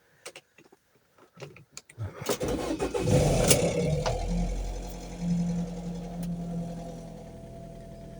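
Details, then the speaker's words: Car restoration project started, with a new key and working battery: a few clicks, quick catch, then a smooth, steady idle with no misses or knocks; running perfectly. "Yeah, she's working perfectly."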